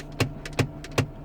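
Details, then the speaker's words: Mk5 Ford Fiesta, clicking when turning the steering wheel, indicator stalk moves with the wheel, owner suspects catching in the column stalks; sharp single clunks about every 0.4 seconds over faint hum. "it's obviously something to do with these stalks here so I'm gonna have to unscrew all this and sort that out"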